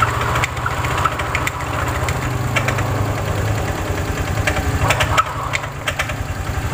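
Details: Honda Vario scooter CVT at idle: irregular heavy clunks and rattling bursts from the drive side, caused by a damaged drive belt and a failed rear pulley bearing because the roller housing is worn.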